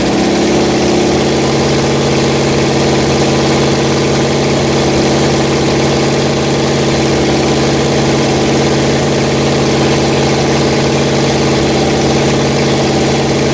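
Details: Rebuilt Pontiac 400 V8 from a 1979 Trans Am on a homemade run stand, second cam break-in after the first flat tappet cam failed: steady fast idle on the fast idle cam, even smooth hum, no lifter tick or knock; healthy.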